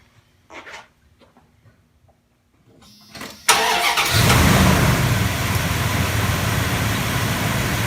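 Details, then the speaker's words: Vehicle a week after battery reconditioning with a Topdon Tornado 4000 4A charger (it previously wouldn't hold a charge over a day): a few clicks, brisk cranking, immediate start and even idle. It turned over without any problem. "Well, I'm actually pleasantly surprised. This seemed to have helped it quite a bit. It turned over without any problem."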